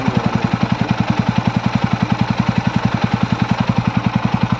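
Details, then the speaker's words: TVS Ronin 225 single-cylinder bike just back from the service centre for a recurring engine noise, idling after a 2 km morning ride: a steady, even thump with no tapping or rattle; owner hopes it is normal, and the problem showed on long rides under load. "तो यही है गाड़ी का [संगीत] I hope यह तो normal sound"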